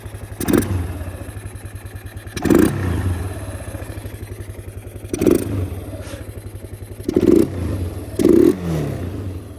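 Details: Old ATV (four-wheeler) that sat for years, still idling after about 5 minutes: steady low putter with five quick throttle blips rising and falling cleanly, no misses or knocks; normal revving.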